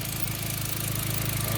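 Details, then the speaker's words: B5 Passat after spliced-in replacement ignition coil pigtails: steady, even low idle with no misses, stumbles or sputters; no longer smells lean, engine revived and running smoothly. "So it's looking like we may have revived the Volkswagen, guys. I think we got it running again. It's sounding good."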